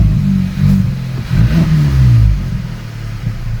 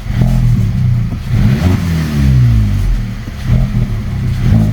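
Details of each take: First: VW Polo 1.2 TSI R-Line after replacing throttle body, spark plugs and HT leads, previously rough idle worse when warm: revs blip and fall straight back to an even low hum, no missing or sticking; normal idle. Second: VW Polo 1.2 TSI R-Line petrol, no error codes, runs rough, worse when warm: blipped revs rise, hang, jump around and sag unevenly, bogging; owner suspects vacuum leak or faulty throttle body.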